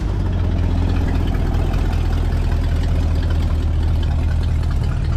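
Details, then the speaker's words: 1968 Ford F100, first start of the day, before the 4-barrel carb and timing chain work; deep, even V8 burble with a steady beat and no ticks or misses; normal healthy idle. "of you say I shouldn't do anything to it I mean it's running so good why in the world you want to do something to it"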